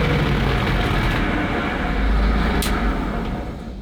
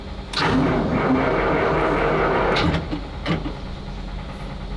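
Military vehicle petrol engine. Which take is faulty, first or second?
second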